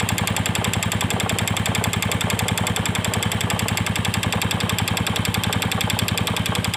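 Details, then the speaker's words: Yamaha Vega Force fuel-injected motorcycle with a new cam chain and new piston idles with fast, even light ticking, two or three a second, sounding like the cam chain; the cause is unknown. "kita kedatangan motor Vega Force yang injeksi kalau hanya teman-teman nah selalu bunyi kayak rantai klep Seperti apa suaranya"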